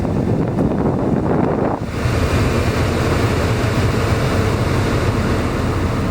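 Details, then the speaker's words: Repaired blower motor that previously stayed on all the time, running at maximum speed after soldering repair: strong steady rush of air with no squeal, ticking or grinding; normal blower operation at max. "Right there is max. God damn, this thing blows. Ready, watch. Holy shit. I just cycle the speeds."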